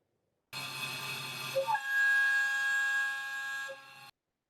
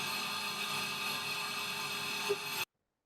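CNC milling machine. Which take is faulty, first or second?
first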